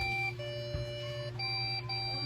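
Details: Recently bought desktop PC with no display: repeating long beeps shifting pitch over a low fan hum, a memory fault; the fix is removing the RAM and cleaning its contacts with a pencil eraser.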